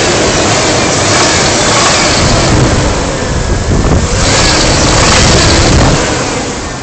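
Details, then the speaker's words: Ford Ranger 3.0 V6, which drives normally but leaks a little oil, revs up hard and a rough knocking appears near the top of the rev range but not at lower revs. The owner suspects valve or lifter noise. "I don't rev it that High usually so I mean if if you don't rev it too high it won't make the sound I think it's valve or"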